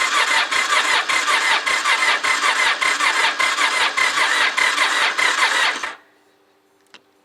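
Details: Honda motorcycle, liquid-cooled, sat outdoors about two and a half months, battery at 10.9 V, cold, choke pulled, clutch in: starter whirs with even pulses about six seconds but engine never catches; cause suspected, not confirmed; crank no start.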